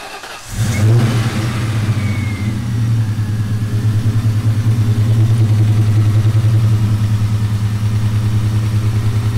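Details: Ford 4.6/5.4 2V Triton V8 first start after permanent thread repair of a blown-out spark plug hole, sitting about six months uncranked: short crank, catches quickly and settles into a steady, even idle with a smooth low rumble; healthy.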